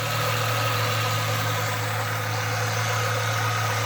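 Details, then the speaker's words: 1996 Mustang with intermittent battery light, replacement alternator from a 1994 engine fitted: smooth even idle with a faint steady alternator whine, no rattle or grind, battery light out; normal alternator running and charging. "You can actually hear the alternator. Blowing the dust out of that alternator."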